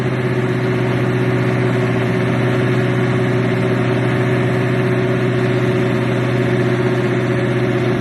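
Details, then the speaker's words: Buick Regal idling cold with no air cleaner and a chokeless carburetor needing tuning: loud, slightly uneven idle with an unsteady low beat; rough cold idle. "I ain't finna lie to you. She rough, man. With that tokeless. That carburetor with no choke horn. It needs some tuning too."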